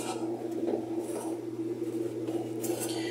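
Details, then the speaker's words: Whirlpool top-load washer on spin, tub pushed by hand: rough, uneven scraping about three strokes a second over a low hum; the collapsed tub has lots of play and the metal tub rubs the plastic tub. "Ahí ya la tenemos exprimiendo, entonces ayudamos a la tina para que gire. Y hacemos lo siguiente así. Entonces, ahí se oye como que está raspando"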